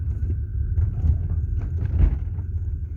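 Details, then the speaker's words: 1990 BMW E34 520 rear right, after replacing rear shock mounts: low road rumble and soft thump over speed bump with no metallic squeak or creak from rear; suspension now quiet. "звука этого нету скрип пропал вот еще один лежачий полицейский дом 1 все скрипа нет"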